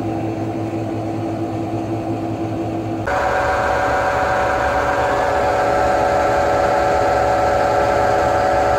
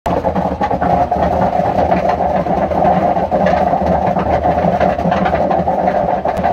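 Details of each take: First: Hotpoint washing machine after replacing completely failed drum bearings (drum cut open, resealed with CT1 and bolts): smooth, even drum hum stepping up in speed, no rumble or grinding; much quieter, normal spin. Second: Hotpoint washing machine, kept in a shed, with long-failing drum bearings: loud steady rumbling roar with a gritty drone as the drum turns. Completely worn drum bearings; repair needs the sealed drum cut open.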